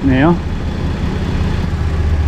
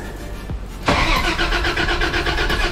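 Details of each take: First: Toyota 80 Series LandCruiser at idle after alternator, fusible link and alternator plug replacement, with the old belts gone and the ECU resetting after battery disconnect: smooth low steady idle, no squeal or chirp. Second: 80 Series Toyota LandCruiser after alternator, alternator plug and fusible link replacement: starter cranks steadily about four seconds but engine never fires; a lead disconnected earlier had been left unconnected.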